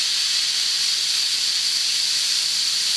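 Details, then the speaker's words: Steam safety valve being set, blowdown ring lowered (one more notch would probably shut it quicker); strong, even hiss of steam held steady a few seconds as the valve lifts and vents cleanly: normal safety valve blowoff. "look look at that thing going man isn't that beautiful isn't that beautiful yeah that's going to boom pop"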